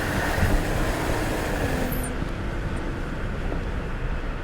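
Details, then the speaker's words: Audi Q7 under load, after the Lamborghini Urus exhaust was replaced by a redesigned two-in-one center section and the original rear muffler: steady, deep, subdued exhaust note with no drone or rasp. The exhaust is tame and quiet as the customer wanted. "nice nice and tame and that's what the customer's looking for that's what his family members are looking for and I don't blame them it's not a great sounding engine"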